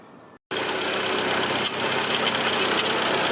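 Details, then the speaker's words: VW Gol petrol engine idling with a loud, steady high-pitched hiss and squeal. Mechanic suspects a seizing bearing, probably the tensor; the noise is attributed to a worn water pump bearing. "se va a escuchar una especie de chillido eso Precisamente es de un Valero que se está amarrando muy probablemente el tensor"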